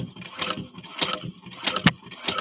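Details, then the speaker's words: 170th anniversary edition sewing machine stitching through six clamped layers: slow heavy chunking about twice a second with slight clunking as the needle punches through; normal running under heavy load. "Can you hear that machine working? That machine is working, and we'll have to see."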